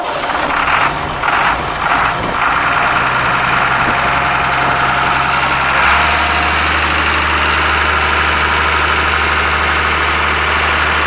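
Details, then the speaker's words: Ashok Leyland diesel bus engine, cold start after sitting many years: catches after a few cranks and settles into a steady, even idle with a deep unbroken hum, no smoke at all; healthy normal idle. "ഒരുപാട് വർഷമായിട്ട് കിടക്കണ വണ്ടിയാണ്. എന്നിട്ട് start ചെയ്തിട്ട് പോലും ഒരു തരി പുക പോലും വരുന്നില്ല. ലൈലാൻഡിൻ്റെ എഞ്ചിൻ്റെ ഗുണം അതിൽ നമുക്ക് മനസ്സിലാക്കാൻ സാധിക്കും."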